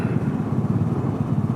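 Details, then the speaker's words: Honda Navi small single-cylinder scooter idling while stopped during a commute, idle hunting, surging up and down on its own instead of holding steady; carb fittings and intake boots checked with no vacuum leak found, owner doubts it's running lean. "This thing hunts so much idle. You're sitting here revving itself while I'm sitting still."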